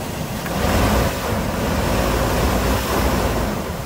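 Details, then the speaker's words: 2000 Chevy Tahoe Z71 V8 idling on a lift right after an oil change with five quarts plus a quart of Lucas, good oil pressure; low, soft, even idle under wind noise with no knock or tick, normal idle. "quiet makes no sound at all"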